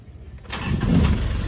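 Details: Nissan Escapade/Urvan after ignition contact no-click no-start problem: brief quiet, then a quick crank that catches cleanly and settles into a smooth steady idle; starts and runs normally.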